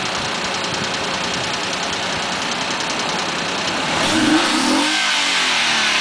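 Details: Mazda 6 engine rattle between 1000 and 1500 rpm after clogged catalytic converters were removed and MSDS headers fitted: light metallic rattle about four per second over a steady idle, then revs rise; cause unclear.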